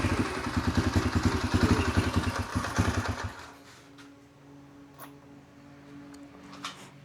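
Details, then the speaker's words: 2004 Yamaha TTR125L after carburetor clean and rebuild warming up: fast, fairly even single-cylinder putter for about three seconds then dropping away; nothing leaking, sounds decent. "Everything seems good. Sorry about the noise. Sounds decent."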